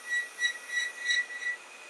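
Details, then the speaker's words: Creality Ender 5 Plus at 99% of a print (nozzle 210, bed 60) making small top-layer moves: short thin squeaks about three times a second from the dry lead screws. "Hear it squeaking there, and I've known it squeak a lot louder than that. Yes, oil and grease on the threaded rods."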